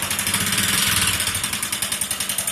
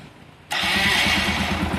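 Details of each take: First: Motorcycle with over 80,000 km: sharp, fast metallic top-end ticking over idle, sounding like engine noise but entirely cylinder head noise, not connecting rod; head to be opened for top-end work; valvetrain knock. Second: Motorcycle after a rebuild with new camshaft, cam chain kit, rockers and bore kit: it catches within a moment and settles into a steady, even idle with no tapping or knocking. The engine sounds healthy.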